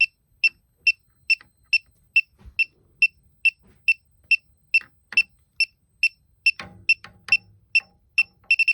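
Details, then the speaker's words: Elitech WJL-6000 refrigerant leak detector at an already known leak where soap bubbles had shown: sharp high beeps about 140 a minute, quickening into rapid bursts; leak detector alarm. "i don't know if that's what the detector is picking up because that's where i see a leak"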